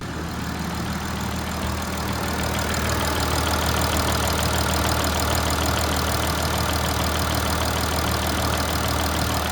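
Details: Low-mileage Audi A8 3.0 TDI diesel (DDV engine), just over 30,000 miles, 6 years old, full service history, idling, heard outside the car: light, fast high-frequency tapping from bank 1, cylinders 1–3, cause not confirmed.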